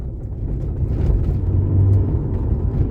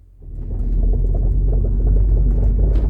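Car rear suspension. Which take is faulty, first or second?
second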